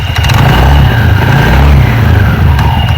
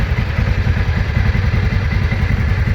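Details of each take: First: TVS Ntorq 125 BS6 scooter with sound and pickup problem, started and revved with CVT case open: deep, uneven flapping rumble surging with revs as the drive belt runs loose, moving in and out and slapping; worn variator rollers. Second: TVS Ntorq 125 BS6 scooter at 18,600 km, after repair of a worn gear, held on throttle: steady even engine beat, smooth drive noise, no rattle or slip; sounds like a new scooter, normal CVT running.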